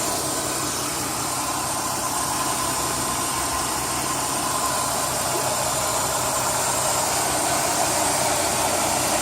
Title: Weird ticking sound Chrysler 3.5L